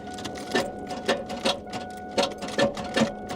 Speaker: I think that engine just locked up She's Tight so maybe it had rods knocking who knows there's definitely something going on with this though